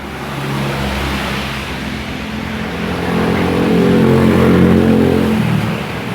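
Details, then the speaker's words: 1997 Honda Astrea Grand that wouldn't shut off with ignition off, after fitting a relay to the original CDI: single-cylinder puts along evenly with a smooth rise in revs, no misfires, running normally and shutting off properly. "Kontak kita on kan ya. Motor sudah hidup ya, normal."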